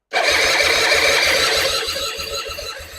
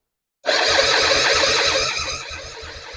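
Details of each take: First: 2005 Suzuki Intruder 250 LC bought as a non-runner, fresh petrol, tank on reserve, choke stuck, spark confirmed: the starter whirs with regular compression pulses about four a second, slowing as the battery sags, and it never fires. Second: 2005 Suzuki Intruder, project bike, cranked on a borrowed battery before fuelling: strong starter whir then even compression strokes a bit over two a second at steady speed; healthy cranking.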